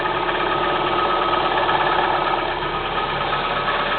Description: Стук двигателя КИА Спектра 1.6 на холодную